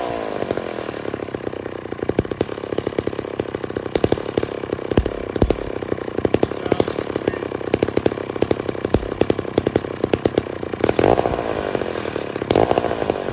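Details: Low-hour 1966 McCulloch 250 chainsaw, stored 25–30 years: a crisp, even two-stroke buzz with sharp rapid firing and clean throttle blips. Normal running.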